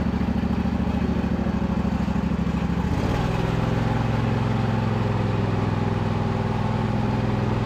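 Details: John Deere L120 riding mower, after repairs and about 10 minutes of hydrostatic bleeding, restarted: single-cylinder engine settles into a steady, even thump with a smooth drive hum; runs cleanly, nothing amiss.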